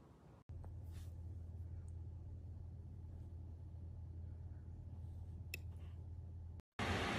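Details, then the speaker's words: Ontel Handy Heater Turbo 800 wall-outlet ceramic space heater, a few days old, set to 90, running plugged into a basement wall socket: an even, continuous low fan drone with no ticking or rattle. The fan is noticeably loud, far from the quiet advertised. "so this heater is not quiet if you can hear this heater it's far from quiet as advertised on the box"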